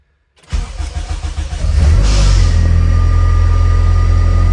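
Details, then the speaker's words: Honda running a DIY Hondata Kpro board swap ECU: brief crank catches quickly and settles into a smooth, steady idle with an even low exhaust beat, starting every time; normal start and idle. "runs every time. So there you go. That's the real deal. Seen a lot of people attempt this, but this actually works."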